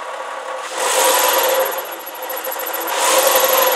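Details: Porsche Boxster 986, clutch replaced under 1000 miles ago: with the clutch engaged, a thin wavering squeak over a hissy rumble, apparently from the gearbox. Quick pedal release gives rumbling, slow release or driving gives squeak; it stops with the pedal pressed. Cause unclear.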